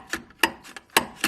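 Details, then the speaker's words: Mercedes ML55 AMG W163 shock absorber being stroked by hand during removal: sharp hollow clacks about every quarter second with no damping; blown shock causing slamming noise, replaced with upgraded shocks. "see that's that noise we keep hearing slamming"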